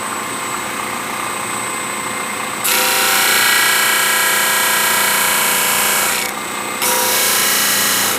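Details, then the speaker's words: Max Universal 18" 3-phase disk sander on Teco FM50 VFD from single-phase 240 V at 60, wood pressed hard: steady motor hum then loud rushing scrape, only slight slowing; normal running under load with plenty of power. "seems like it's got plenty of power right I can hear it like slowing down a little bit I mean I'm really switching it in there hard right now"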